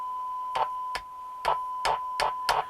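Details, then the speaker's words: Old Roberts R707 radio: a steady tone is broken by sharp crackling bursts, roughly two a second, when the set is tapped. An intermittent bad connection is suspected, possibly tin whiskers in the AF11 transistors of the module; not confirmed. "and now if you listen here you tap it you can hear me see it's got louder"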